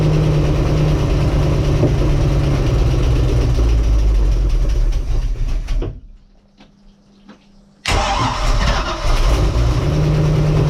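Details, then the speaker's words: Bayliner boat with Mercruiser Alpha One Gen 1 sterndrive; on start heavy low rumble, cuts out briefly then picks up, with knocking underneath and large bangs vibrating boat; owner suspects metal caught inside, cutting out from vacuum. "So it's just something, it turns on the key, but then if you listen closely you'll hear the knocking noise."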